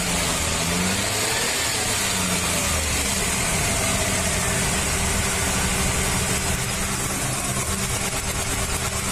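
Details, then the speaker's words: Maruti Suzuki 800, about 2010, CNG/petrol three-cylinder: lumpy uneven idle running on two cylinders, cylinder 1 dead because its spark plug wire shorts against the air cleaner clamp; misfire codes P0301-P0303. "एक number का piston काम नहीं कर रहा है दो pistol पर गाड़ी चलती है"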